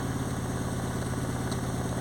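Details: Ford Anglia with a Mazda MX-5 engine: uneven, chuffing idle with a regular limping pulse, running on only cylinders 2 and 3; cylinders 1 and 4 are dead because a faulty ECU is not driving their injectors.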